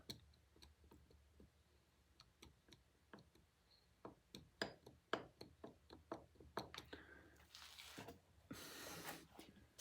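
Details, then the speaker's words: Lawnmower blade balancer shaft turned by hand: irregular dry ticks and light rattles from sloppy, worn bearings. "a bearing should not rattle like"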